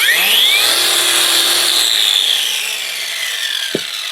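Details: Parkside Performance angle grinder repaired with a relocated momentary push button: high whine spins up quickly, holds steady pitch, coasts down smoothly with no grinding or rattle; runs fine.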